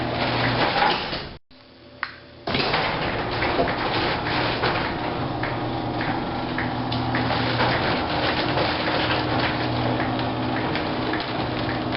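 Door travels with a steady motor hum and soft rolling, no squeal or groan from the hinges or rollers; it runs quietly.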